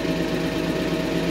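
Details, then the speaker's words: 1991 Mercedes 190E at warm-up idle, idle dropping as it warms: light, rapid ticking following engine speed, hydraulic lifter noise that quiets down as it runs; owner thinks the oil needs attention. "I definitely need to do something with the oil because you got lifter sound the lifter noises"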